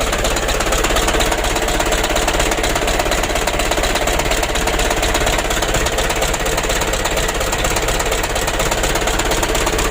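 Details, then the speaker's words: Mitsubishi 120 PS Ragasa diesel truck, Bosch inline pump, aged engine, cab tilted: uneven pulsing idle with heavy knocking beat twice a second, limping and shaking at part throttle, worsening as the engine warms; rough idle with vibration. "kita gas nah seperti ini teman-teman kalau kita gas tanggung serasa pincang atau bergetar mesinnya ya"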